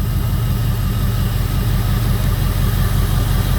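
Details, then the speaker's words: 2002 Jeep Grand Cherokee 4.7 HO with a coil-melting misfire problem: after coil 3 was unplugged and plugged back in, a rough, uneven idle with a lumpy low thump dropping out; still misfiring. "Plugging coil 3 back in does not solve the problem. Still missing. It still runs like shit."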